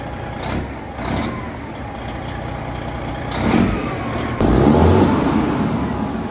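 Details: International truck with a Detroit diesel: it fires and settles, and light blips rise and fall cleanly without knocks or misses. Normal start and rev.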